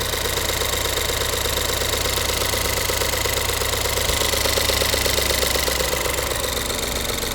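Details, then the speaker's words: 2016 Ford 1.6L EcoBoost returning with a misfire after new injectors and a high-pressure pump. The idle is uneven, with a steady ticking pulse and a stumbling beat. The scope shows ignition coils with shorted secondaries, including cylinder three, while number four fires properly. "that's a shorted secondary all day long look how high that spike is and then this one freaking shorted secondary all freaking day long"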